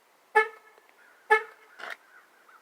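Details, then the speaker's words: 2009 Jeep Patriot after installing a brand-new door lock actuator: pressing lock gives two horn chirps but no lock clunk, and the door lock button doesn't go down; door lock not operating. "can hear the horn but the door is not locked and i'm going to hit the button again and button didn't go down"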